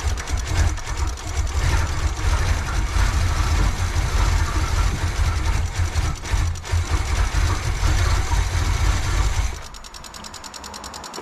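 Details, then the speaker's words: 1986 Pontiac Firebird Trans Am with fuel starvation issues, carbureted with troublesome choke: heavy, dragging crank three to four turns a second that never catches; flooded engine, battery going dead; owner suspects timing may be a tooth off. "all right here we go again take 35 now that it's flooded and the battery's going dead"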